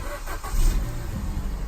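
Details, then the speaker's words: Car bought at Copart with 147,000 miles, in neutral with handbrake up, catches quickly on first key start, then a little rev and a smooth steady run with no misfire or odd noises; a normal start. "Wow. So it actually does fire up. We give it a little rev. Let's listen to the engine noise. Sounds really nice considering it's on 147,000 miles."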